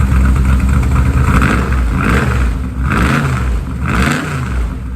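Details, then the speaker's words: 1967 Mustang fastback V8 first run after adjustment, plugs expected to be soot-covered from previous adjustment: revs rise and fall with uneven, lumpy, stumbling beat; rough running, plugs suspected fouled, listening for rattles. "now keep in mind it's not going to sound quite right because guarantee you every one of the plugs is just covered and soot from the way it was adjusted this is more about listening for any rattles or anything like that"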